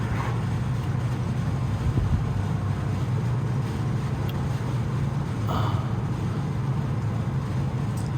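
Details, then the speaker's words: 1960 Rambler station wagon on the road after rear-end rebuild with new gears, axle, pinion and carrier bearings, seals and fluid: steady road rumble, no whine or growl; previous rear-end noise gone. "so it does sound a lot better and it sounds like that Corral has gone away"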